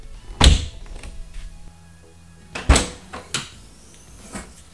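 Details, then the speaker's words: Tesla Model 3 tailgate shutting after deadening with Kilmat 50 and fireproof fabric: two deep, dull thunks with no tinny ring, almost like a German car. "but anyway if you listen when you close it sounds almost like a German car"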